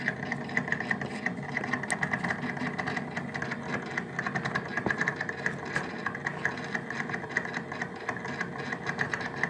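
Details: Daewoo refrigerator evaporator fan motor, previously cleaned for the same noise a year earlier: fast irregular rattling tick over a steady hum and high whirr; the fan motor is noisy.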